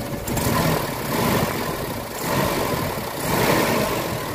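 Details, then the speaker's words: Mitsubishi Adventure gasoline engine, before Xado engine treatment: idle swells and sags about once a second with a shaky, uneven beat; engine doesn't pick up until 2,000 rpm instead of about 750, slight compression leak suspected, throttle delay and low power. "So pakinggan niyo yung RPM niya. Hindi siya gaanong galit. Ibig sabihin singaw siya ng kaunti."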